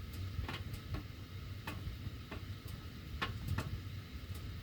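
Sharp irregular ticks, roughly two a second, over a faint low hum while the heat runs; metal ductwork ticking, cause not pinned down.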